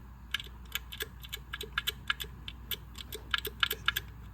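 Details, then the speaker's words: Engine that failed while tuning, torn down with pushrods out: a loose, excessively worn lifter worked by hand gives irregular sharp metallic clicks about four a second; the lifter is suspected to have come apart (clip failure). "there's a lot of noise down there I have a feeling the lifter came apart"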